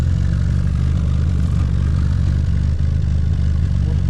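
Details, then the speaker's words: Fiat 125p (1974) or Polonez Caro just driven out, idling: steady, deep, loud idle with a chuffing, blowing rasp on every pulse. Exhaust leak traced to a hole in the middle silencer. "Dobra, maszyna wyjechała i to co słyszycie to oczywiście wydech jest gdzieś tutaj przepuszczający, ale gdzieś przy końcu"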